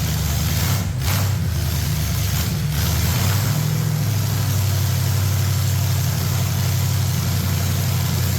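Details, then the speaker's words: Ford 460 big-block V8 pulled from an RV, formerly rust-seized and freed, now idling smoothly and evenly; normal idle. "Nothing major, but yeah, just did not start very slick and smooth, but seems to be running good now."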